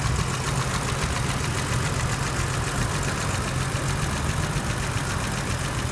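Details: 1983 BMW 635CSI straight-six (manual transmission), original engine, idle during a running demonstration; smooth, even tick-over with a soft low hum, no hunting, misses or knocks. Healthy idle.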